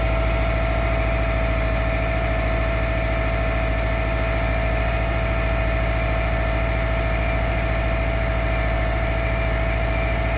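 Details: Subaru EJ25 cold start at -16° engine temperature: cold idle with a steady even knock about twice a second beneath the engine drone; cause unclear.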